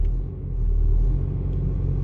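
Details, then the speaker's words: VW Golf TDI diesel on solid engine mounts, stationary at idle: heavy low drone and rumble with strong cabin vibration that eases as revs rise; loud mainly when standing still, little issue while driving. "So, conclusion. Of course it's loud, it vibrates more, but the only problem you could have it with is when you're stationary"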